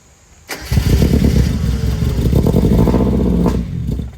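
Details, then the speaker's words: Mazda NA Miata MX-5 under restoration, first run after cam angle sensor and electrical work: it cranks, catches and runs with an uneven, lumpy beat before dropping off. It runs rough and still needs timing set. "okay it's [ __ ] it needs it needs timing yeah but holy [ __ ] it works dude"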